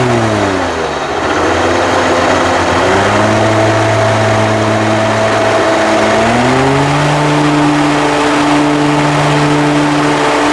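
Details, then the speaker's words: Commercial lawn mower with hydraulic pumps and a hydraulic wheel motor on each side, which also has a bad deck spindle bearing: while driving, the engine rises and falls with a thin, steady whine on top. Owner suspects a failing hydraulic wheel motor. Whine while driving. "all right YouTube sounds like I got a hydraulic wheil motor going out as well"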